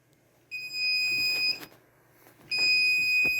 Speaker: Once it starts, you can you can hear a very loud beeping. And if you look down in here up above on that chip right there, you can see the blinking light in sync with the beeping.